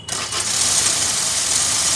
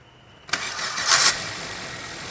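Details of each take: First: Maruti Swift (stated 2017 model), started with the clutch pressed: a loud steady high-pitched whir over the idle as the starter keeps spinning with the engine, stopping when the clutch is released; worn starter pinion bush, excess crank end play. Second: Maruti Swift (2017 model per speaker, 2020 in title) with a starter noise while the clutch is pressed: after repair, starting with the clutch released gives a short, clean starter spin that catches at once into a quiet idle; no grinding, problem fixed.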